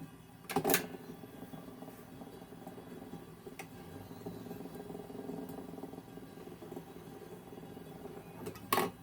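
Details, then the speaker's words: Record changer of a 1942 Zenith 7S685 radio-phono console cycling: two firm clunks about eight seconds apart with a soft steady whir between, running smoothly. It keeps replaying the last record rather than returning the tone arm to rest. "this one does not return to the tone arm rest position after the last record it just keeps playing it just keeps cycling through onto the last record"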